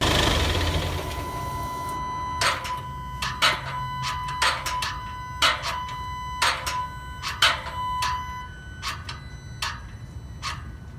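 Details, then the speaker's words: New GWM Tank 300 diesel: after switch-off, loud sharp metallic clanks about once a second, uneven, stopping after several seconds; source not confirmed. "So I turn the car off and we hear this loud metallic clank, clank, clank, clank, clank, clank, and then it stops. Weird, doesn't sound good at all at this point."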